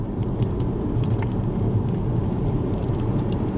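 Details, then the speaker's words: 2013 Tesla P85 on a slow drive over rough road after the suspected cheap sway bar link repair: only a low road rumble and faint ticks, no front rattle; the constant under-25 mph rattle is far better, though it briefly returned once. "I'm not hearing anything so let me turn on the brights"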